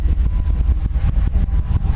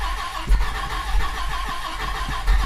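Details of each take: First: 1998 Dodge Viper V10 on first start after a dry sump install: deep, lumpy idle with strong uneven pulses and no clear knock; gauge shows little or no vacuum, cause unknown and still to be sorted; no leaks seen; low idle vacuum. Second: 1998 Dodge Viper V10 during a dry sump install, first start after reinstall on a new battery: catches cleanly into a deep, even V10 rumble with no knocks or misses; runs a little hot, judged normal heat; normal start and idle.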